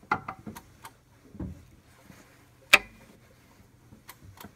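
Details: 2007 Audi A6 Allroad 3.2 FSI (BKH), new bank 2 upper timing chain tensioner, engine hand-cranked one revolution with cam locks believed in time: scattered light ticks and loud clicks as tensioner releases, three per revolution; normal or fault unclear.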